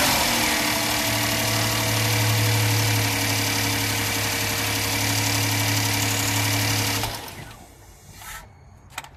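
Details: Kia Sorento restarted after initial cold start growl: smooth even idle with no timing chain growl or rattle for about seven seconds, then shutoff; growl blamed on tensioner oil pressure bleeding off overnight, now holding.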